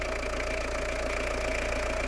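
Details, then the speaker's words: Citroen Dispatch/Jumpy diesel after engine and clutch install, first start with new diesel filter, EGR vacuum disconnected, no coolant: steady even idle, constant low drone, no knocks or misses, no smoke; normal idle. "so let's start this to see what it's like start nice sound good no smoke"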